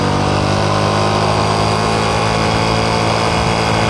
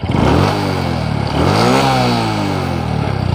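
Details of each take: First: Honda Supra X 125 Karisma in 2nd gear at full throttle uphill, only 60–70 km/h: high, steady engine drone without pulling harder, loud but slow. Slipping clutch suspected, attributed to the clutch housing (mangkok ganda). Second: Honda Supra X 125 Karisma, road and hill test: engine pulls up smoothly and evenly through the revs with a deep, full exhaust note, no slipping or clatter; response and climbing power improved.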